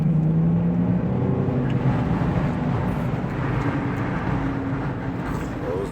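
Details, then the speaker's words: Infiniti G35 while driving: a steady low hum under the road noise, louder when turning right. It is attributed to a worn driver's-side wheel bearing. "I'm about to go Auto Zone and grab this wheel bearing for the driver's side cuz I'm getting like that humming noise"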